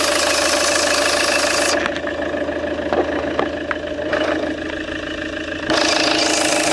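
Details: Peugeot 807 2.0 HDi 110 diesel running with a light, fairly regular knock of about three per second, clearest when surrounding noise drops; engine knocking, cause not evident.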